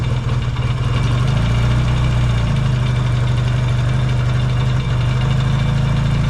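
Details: Yamaha XS650 twin, started cold in an unheated shop: deep, steady rumble at fast cold idle, no misses or knocks; warming up normally.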